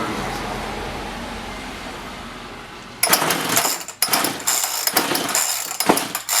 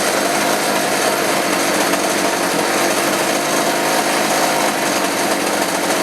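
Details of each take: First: Roughly 35 cc chainsaw with 14-inch bar that won't rev or hold idle and falls on its face; quiet spell, then ragged high-pitched bursts that flare and sag; bogging traced to a bad spark plug that still showed spark. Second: Roughly 35 cc two-stroke chainsaw with 14-inch bar after replacing the bad spark plug and a carb adjustment; hard steady high-rev scream without stumbling or bogging, running properly and good to go.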